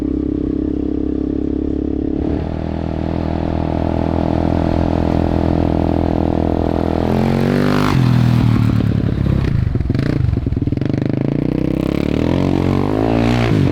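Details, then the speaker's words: 2000 Yamaha Warrior 350 single-cylinder ATV with new carburetor and ignition modules, riding; loud raw bark swelling and dropping with throttle, muffler has no packing. "dude it it sounds great like there's no there's no packing in that muffler whatsoever it's very loud isn't it yes"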